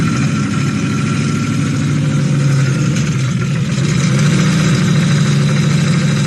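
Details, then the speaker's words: Toyota 1UZ-FE V8 with an oil pressure issue that blew up the engine, after an oil change and a collar filter with drain-back were fitted: rough running with a heavy low drone and irregular clatter at idle; the front cam pulley had fallen off. "And of course, what we found was the front cam pulley had fallen off."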